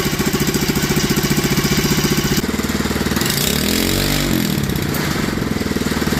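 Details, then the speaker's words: Clone GX200 196cc engine on a new 68mm block, Ducar mini bike: single cylinder chugs unevenly at about four beats per second, pitch sagging and surging. Owner suspects a valve set too tight; carb idle also being adjusted. "that sounds like the valve is too tight let's give it one more yeah I think the valve is too tight"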